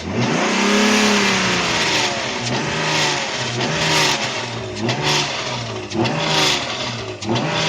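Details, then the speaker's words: Naturally aspirated tuned BMW E36 on a dyno pull: engine revs in repeated surges with a rough coarse edge; only 230 hp, notched torque curve and airmass down over 30 kg/h; something has gone wrong in the engine, cause unclear. "Something has clearly gone wrong in the engine. Especially when it sounds like this."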